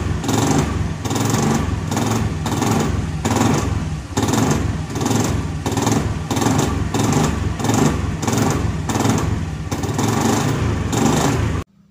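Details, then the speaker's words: Honda Scoopy FI scooter, customer complaint: steady drone with a coarse, pulsing rattle about twice a second, then cuts off; an overly rough noise from inside the CVT, cause not yet confirmed. "Nah, seperti itu ya teman-teman. Kondisinya yaitu terdapat bunyi kasar pada bagian dalam CVT-nya seperti itu ya teman-teman. Bunyinya bisa dikatakan terlalu kasar itu teman-teman ya."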